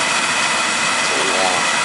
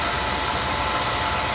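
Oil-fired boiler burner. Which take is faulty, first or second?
first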